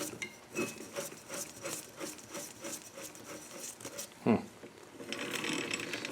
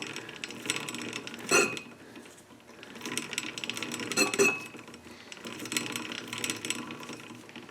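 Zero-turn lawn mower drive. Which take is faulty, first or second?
first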